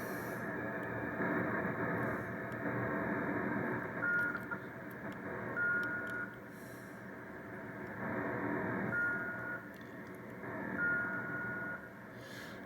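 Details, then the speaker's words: Drake R4C receiver calibrator board running on a watch crystal, slow to start: steady receiver hiss with a faint whistle that drifts and drops in and out; unstable calibrator tone, watch crystal unsuitable. "and that's kind of how that watch crystal is a little funny so i'm not thinking that watch crystal is gonna work too well"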